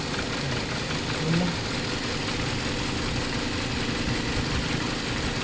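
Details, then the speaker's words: 2018 Hyundai Accent 1.4 with idle going up and down and stalling: uneven, stumbling idle with irregular knocks; misfire from three of four failing ignition coils (only number two fine). "Papalitan natin ng bagong ignition coil sa apat na ignition coil diyan mga boss Ay number two lang yung walang ano walang misfire pero yung tatlo talagang Ang lalakas ng misfire mga boss"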